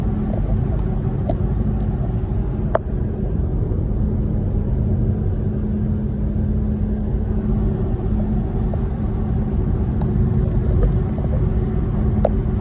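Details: VW e-Golf while driving: deep road rumble with a faint steady mid-pitched tone that comes and goes; unidentified noise, source unknown.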